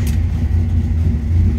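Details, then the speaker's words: 1957 Chevrolet Sedan Delivery street rod V8: starts easily, deep even rumble catches cleanly and settles, no misses or knocks; healthy start-up before warm-up. "easily it starts and it is healthy"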